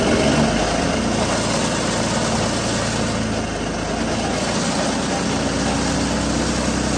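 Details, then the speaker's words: Hydrogen combustion engine with methanol injected instead of the usual cooling water, idle tweaked and more hydrogen needed than with petrol; steady even idle, low hum and light mechanical chatter, no misses or knocks; runs better than petrol-hydrogen mix. "Okay, so that was the the methanol and the hydrogen mix, and that ran a lot better than it did with the petrol and hydrogen mix."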